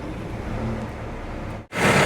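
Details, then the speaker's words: CAT 313 excavator diesel at 1000-hour service, after fuel filter change and priming a fuel-starved system: steady low rumble, a brief cutout, then catches and settles to a firm, even run; starts readily. "all right well that's surprising me it started right up so that's a good thing"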